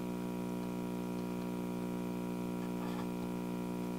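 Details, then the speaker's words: 1957 GE Model 875 "All-American Five" vacuum tube radio powered up on a variac: steady low 60 Hz mains hum from the speaker with no station, getting through the failing big brown filter capacitor, which is to be replaced. "we're getting hum that's a that's the kind of hum you would get from the line so basically you know it's a 60 hertz hum getting through that filter capacitor right there that big brown one"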